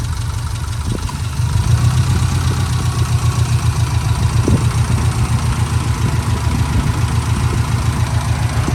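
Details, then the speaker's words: 2004 Subaru Impreza 2.5RS with SRS stainless exhaust and a new timing belt, recorded from beside the open engine bay: a low, even flat-four idle burble with no knocks or rattles. A normal, healthy idle. "So let me just hover on this side so you can hear it at idle. It sounds like it should."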